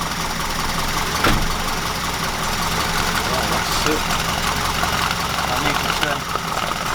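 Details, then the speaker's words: 1969 Ford Capri with Pinto engine after fitting new camshaft finger followers, cam cover off: engine catches and runs with an even steady note and no top-end ticking; now smooth and quiet. "Let's put the top cover gasket back on again and try again, but that sounded smooth."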